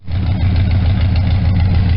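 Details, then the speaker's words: Mower engine after new ignition points, warmed up, timing set to about 12° BTDC at 800 rpm: a low, even, steady idle with a smooth beat and no misses or stumbles; healthy and properly timed. "you just had a nice idle it's got you know decent throttle response you know that's just the happy spot so he's running again and sounding better than ever"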